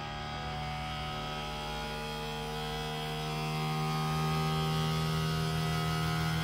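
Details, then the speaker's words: Creality Ender 3 V3 3D printer self-calibrating: a loud, steady, even hum with a fixed tone that swells slightly as the bed moves; normal calibration noise, nothing wrong. "now this did worry me me originally because obviously that noise is it's quite loud uh it is meant to do that so you know don't panic it does sound like it's about to take off it's completely fine that is just it calibrating itself"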